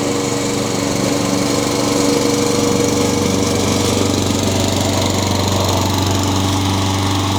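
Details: Honda GCV160 (owner thinks) on a Craftsman mower, after carburetor replacement for surging and a new blade replacing an unbalanced one: smooth, even drone at steady speed, no thumping or uneven beat from the deck; runs as it should.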